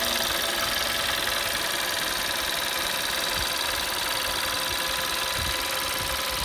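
Hot idle carries a light, fairly regular ticking about three or four times a second over a hissy background; abnormal noise, cause unknown.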